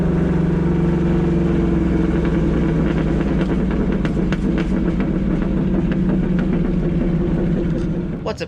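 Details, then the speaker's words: Car with a newly developed bad misfire, possibly multiple cylinders, before replacing the bad coil and OEM spark plugs: uneven, lumpy idle with a stumbling beat, irregular exhaust pops and more shaking than normal. "so I'm gonna misfire it's really bad I really bad they might meet multiple cylinder misfires so we'll see but like it's not it normally doesn't shake that much our Idol that much"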